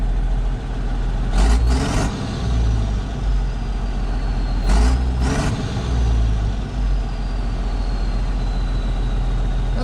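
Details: 1994 Isuzu cab-over diesel truck that sat for 3 years, idling with a steady, even low rumble and short air hisses; the owner thinks added fuel additive helped it run well.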